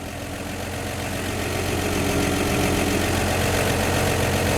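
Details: 1949 Chevy 3100 with 1954 235 inline-six, after replacing leaky exhaust donut at front Fenton cast-iron header and snugging nuts: steady, even low idle with no puffing or ticking; exhaust sealed, normal idle.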